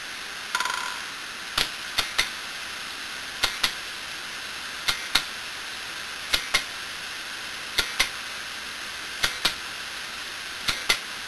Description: This video shows the internals of a failed broken hard disk and what causes that clicking noise. The read/write head crashing and bouncing into the center.